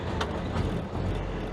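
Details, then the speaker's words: Ford-script Willys WWII army Jeep, starter-button start, revs held by feathering the pedal: lumpy, rough, surging low rumble that cuts out when the foot comes off; no fuel through the idle circuit from a blocked carburettor idle jet. "Sort of runs really rough. When she wants to cut out, you give it a couple little pumps, it'll go again. But if we take the foot off the accelerator, it just comes back and stops. So we've got a problem in the carby."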